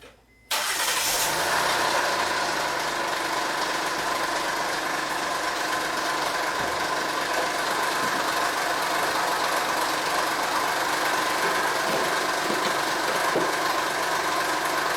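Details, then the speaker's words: 2011 Honda Pilot 3.5L V6 before timing belt job: starts and idles with a steady rough growl from the timing belt area; suspected idler pulleys, expected gone after belt and pulley replacement. "there is a growing noise coming from the timing belt area"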